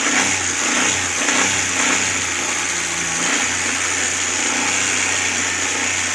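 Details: Suzuki Cultus carbureted engine with new CDI and ignition coil, warmed up: held at raised rpm, fairly even with a hissy top end and no stumbles; dash rpm needle fluctuates, but engine speed holds constant.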